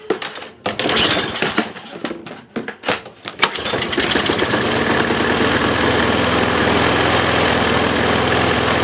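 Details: Troy-Bilt self-propelled push mower, non-running until a pinched fuel line to the carburetor float bowl was straightened: a few uneven cranking pulls, then catches and settles into a steady, even drone; running properly.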